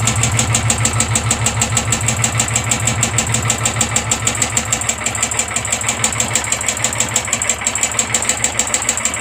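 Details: Royal Enfield 350 single-cylinder at idle: sharp, regular tick-tick about three per second over the thump; suspected valve or tappet noise, not confirmed.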